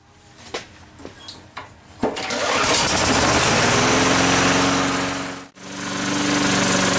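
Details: Tecumseh lawn mower engine after cleaning a very dirty carburetor and replacing the needle valve seat; a few pull-cord tugs, then it fires and holds a steady, even buzzing run with no misses or surging: normal running.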